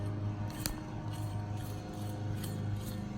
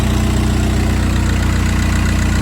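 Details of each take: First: I don't know if you can hear that or not, but that bearing's toast. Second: VW Jetta TDI after an AC compressor clutch replacement (the old bearing was very noisy): a steady, even diesel clatter at idle with no squeal or grinding from the belt side. The noise is gone.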